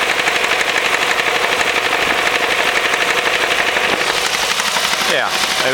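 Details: Ford 2.0L Duratec manual, 310k miles, second clutch, at idle: pronounced steady knock about four per second, brief rising whine; quietens with clutch engaged, owners suspect worn spring-loaded flywheel, unconfirmed.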